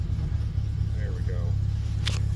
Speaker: choke is on it's got an exhaust heat choke let's let her warm up here I'm going to give her a little bit of gas so she Smooths out